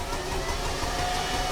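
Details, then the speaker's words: 2008 Mercedes ML 320 CDI diesel, cranks but no start (after plastic smell on drive): steady starter cranking with even compression pulses, never catches; rail pressure reads far too low, electric fuel pump not running. "68.1 bar. Oh, what does that equal? Not a lot, does it?"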